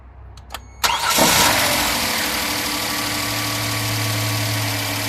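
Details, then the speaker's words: Kia Sorento on first cold start after sitting overnight: short rough growl right after firing fades within a second to a steady idle; the timing chain tensioner has bled off oil pressure, and the growl is shorter or gone on restarts. "okay so on first initial cold startup after sitting all night what has happened is the timing tensioner has allowed all the oil pressure to ble"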